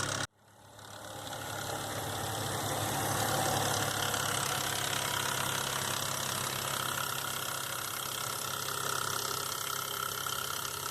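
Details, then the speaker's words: 2005 Nissan Xterra VQ40DE V6 idling with fast rattling tapping from the front timing chain, slapping due to a tensioner not riding properly; fixed by replacing timing chains, guides and all three tensioners. "So I don't think the chain was getting tension like it should, and it was kind of slapping around like that. I believe that was the cause of my noise."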